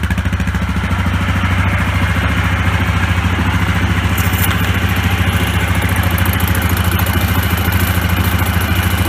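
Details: Yamaha Grizzly 660 ATV idling just after throttle cable replacement: steady, even single-cylinder thump at about three and a half beats a second, no misses or knocks; normal healthy idle.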